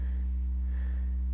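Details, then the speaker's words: M-Audio AV40 studio monitor after replacing failed capacitors in the class AB amplifier: a sine test tone now plays pure and steady, with no phasing or beating against mains hum. "a weird kind of phasing effect as the 60 hertz was interfering with the 60 hertz from the signal generator now it's just a nice tone"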